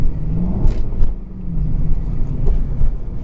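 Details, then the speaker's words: 2003 Jaguar S-Type R supercharged V8, back after coolant hose leak repair, supercharger rebuild and 10% smaller pulley, warm and driving: exhaust valve opened gives much deeper burbling rumble rising and falling with throttle blips; normal throaty note. "that's the exhaust note much much deeper"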